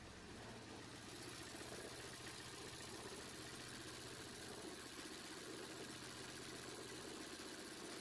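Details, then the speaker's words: Opel/Vauxhall Astra H 1.8 petrol, check engine light on: lumpy, uneven idle, shaking hard, airbox jumping; stored misfire codes for cylinders 1 and 4 plus camshaft position, two cylinders without spark. "Yeah, it's running really hard but really intense. The airbox practically jumps right out at you. You just can't miss it. It's that pronounced."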